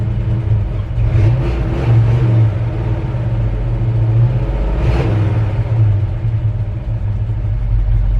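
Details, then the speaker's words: V8 truck warm after running 15–20 minutes: deep, even rumble with a couple of throttle blips, firing smooth and steady; owner says it's just about perfect, a little ticky with a slight exhaust leak. "Love the sound of this truck. It's just about perfect. It's been running about, 15-20 minutes now. A little ticky, a little exhaust leaky."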